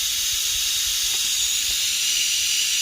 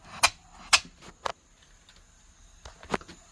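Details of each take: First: 3" Fowler engine that ran rough on one stroke, airline connected over a valve to pressurize the cylinder: steady sharp hiss with no running beat; air leaking past the piston into the exhaust. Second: 3-inch Fowler steam engine running on air after repairing a cylinder leak through to the exhaust with Araldite: crisp, evenly spaced exhaust chuffs with no hiss between strokes; even exhaust beat, much cleaner than before.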